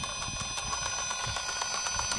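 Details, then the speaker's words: 1.9 Wraith RC crawler with Stealth X transmission, on trail: light regular ticking about six times a second over the motor whir; owner first guessed a broken gear tooth, later thought to be debris in the transmission gears. "My best guess so far is probably a broken tooth in the transmission. Nothing in the axles. Pretty sure it's one of the gears inside. But anyways, it sounds horrible, but it still runs, so I'm gonna drive it back basically."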